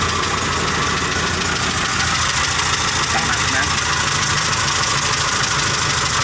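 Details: Car engine running lame (pincang), one cylinder dropping out: uneven, stumbling idle with a lopsided beat, valve lash too loose so that valve never opens; misfire from excessive valve clearance.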